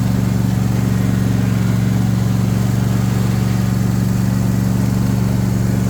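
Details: John Deere S130 mower after spindle and blade work: steady, even engine hum with smooth low drone and no squeal, chirp or rattle; the earlier noise went away, running normally.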